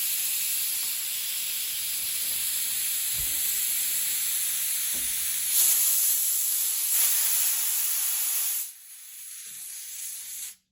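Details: Hatsan Blitz air rifle just filled to 3000 PSI from scuba tank, bleeding fill line: continuous hiss for about eight seconds then dropping away; fill valve not seating and leaking, later fixed by cycling/rapping the valve.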